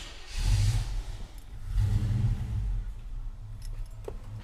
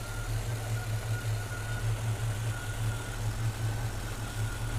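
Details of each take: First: Engine with a newly installed throttle body injection system, first start with the IAC pintle seated and unplugged: it catches, then sags to a shaky idle of about 450–460 rpm that barely holds because the throttle plates are too closed. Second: Freshly installed throttle body injection system on distributor engine: even idle with steady beat as throttle plates are opened, rising from about 610 toward 650 rpm; normal idle after adjustment.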